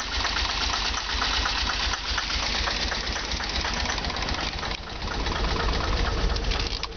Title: Delorean Rough idle